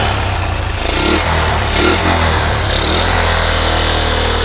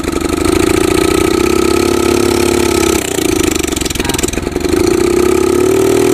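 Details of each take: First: Yamaha Jupiter MX motorcycle that kept stalling after an engine rebuild, now fitted with an RX Special carburetor: engine catches at once, settles into steady idle, then clean even throttle blips; starts and revs normally. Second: Yamaha Jupiter MX with recently rebuilt engine: carburetor vacuum slide fault; held open by prying the slide and throttle it runs at raised speed, sags and stumbles mid-clip then picks up, but won't idle on its own and dies; fix planned: replace with RX Special carburetor.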